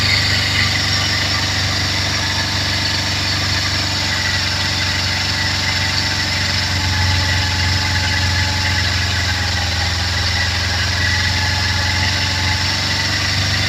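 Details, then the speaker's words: Kawasaki Z250FI (same as Ninja 250) during manual throttle position sensor adjustment: even hum held at fast idle around 3,000 RPM with gentle rise in engine speed when sensor is turned to the correct point; adjustment complete, RPM slightly above 3,000. "ya ya oke terdengar naik ya itu pertanda cukup setelah itu Kencangkan lagi Kencangkan lagi ya oke adjustment selesai lihat I RPM bergerak naik sedikit lebih tinggi dari 3.000 ya"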